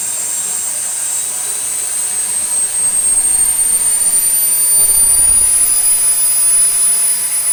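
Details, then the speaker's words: SWIWIN SW220B micro jet turbine on test stand, second run after adjustments; thin high whine climbs then settles into steady hiss-and-scream idle near 38,000 rpm, about 2.5–2.6 lb idle thrust, no surging; normal idle. "all right guys you'll notice that we're almost at 38 000 idle and we've got a idle thrust of about 2.5 2.6 pounds"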